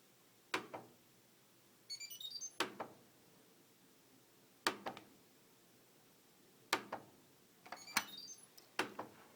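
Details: Fisher Paykel Aquasmart washer with damaged lid hinges and a ragged lid lock: sharp clunks about every two seconds with short beep bursts between; washer won't start, lid lock seems not to engage.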